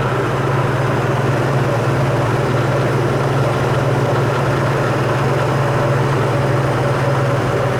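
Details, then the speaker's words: 2001 Nissan Xterra 4WD, 158,000 miles, started with no issue on a battery taken from a boat, AC cold; steady even idle hum with no knocks, ticks or misses, a smooth-running engine. "I'm gonna start this thing up so we can hear what it sounds like. No issue starting up."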